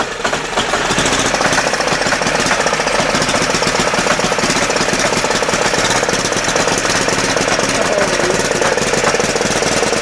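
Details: 10hp single-cylinder LaunTop Yanmar-clone diesel just after a hard cold start at about -4C. Fast, hard, steady and even diesel clatter. It is running normally while warming, with smoke expected for about 20 minutes.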